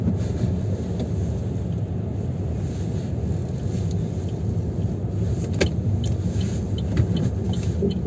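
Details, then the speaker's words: Chevrolet Aveo T300 front corner over rough road: dull irregular knocks under tyre rumble, gone when braking, absent on smooth road; front brake caliper and pads rattling, caliper loose. "вот видите суппорт гуляет вот эта есть этот стук или вот эти вот болты направляющие менять или всю конструкцию в целом не знаю"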